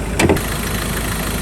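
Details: 2013 Ford Ranger XLS 2.2L diesel, ex-mining truck, engine checked from the front: even, steady diesel idle with a brief clunk at the start, no knocks or misses; healthy, owner notes a past intercooler turbo hose leak.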